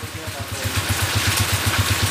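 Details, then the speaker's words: 2010 Honda TMX155 single-cylinder motorcycle at idle after adjustment: even steady thump with no ticking, rattle or neutral whine; normal healthy idle. "Okay na wala na rin yung kwan miaw niya kanina"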